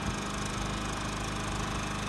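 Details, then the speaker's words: New Champion 3400 W dual fuel inverter generator, model 100263, on gasoline in econo-mode, heard from 25 feet: steady, even hum with soft low putter, no surges or knocks; quiet, normal running. "you and I can have a great conversation with it right there if it's if we walk to the other side of the RV and have a we could have a real good conversation and you'd never even know it was money that I am very impressed"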